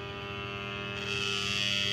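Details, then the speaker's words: AdBlue pump for Bharat Benz, Tata, Ashok Leyland and other trucks on a test machine with 24 V supply: steady electric motor hum that brightens slightly; pump motor running normally, though its temperature sensor reads open load. "इस तरीके से motor की आवाज आएगी।"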